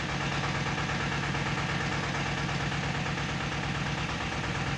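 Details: Tata Ace Zip XL diesel, towed in as a no-start with fault code P0090 (fuel pressure regulator), after scanner diagnosis and repair: steady even diesel clatter with constant low drone, no misses or surging; sound idle.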